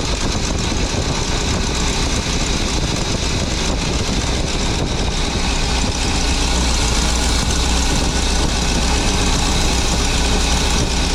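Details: 23-foot Birchaven motorhome V8, Quadrajet carb, after 12 years stored, warming up, oil pressure good, less smoke, coolant leak: deep, steady, even idle with low rumble, no knocks or misses; sounded pretty good, normal idle.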